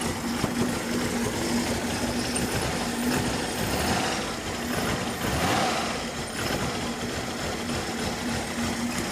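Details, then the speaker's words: Cold-engine idle on a carbureted car (possibly a Corvette) with a rough, lumpy, stumbling misfire and some smoke; a valve clearance issue was fixed earlier, and the carb idle screws are being adjusted. Cause not yet found. "Oh when it's cold it has a really bad misfire so yeah that's what it sounds like it's very rough when it's cold"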